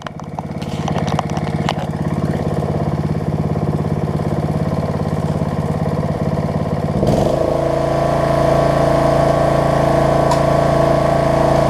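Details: Snapper rear-engine rider after carb cleaning, throttle cable repair and replacing a stretched, cracked deck belt, now working on all settings; starts cleanly and is idled down to a steady, even single-cylinder beat with no misses or hunting; healthy idle.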